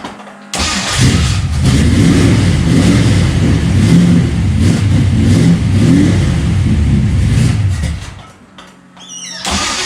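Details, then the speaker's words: 1955 Pontiac Custom with 327 V8 and 4-speed, just out of storage, hard life but ran fine last times: catches after a short crank, then deep even burble with steady revs, no knocks or misses; healthy start. "it seemed the Run fine last lot of times and it's it's had a pretty hard life but it it seems to run good still"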